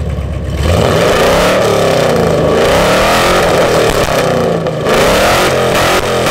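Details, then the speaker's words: 2nd-gen Ram truck before a long-tube header install, with old headers fitted about five years ago: loud, raspy, crackling exhaust rising and falling with revs; header pipes gone and the collector open with many holes, leaking exhaust. "look at that that pipe is all the way gone so's the one below it the whole collector in there is just open that's why I twice think kind of sounds like a NASCAR it just uh yeah a lot of holes"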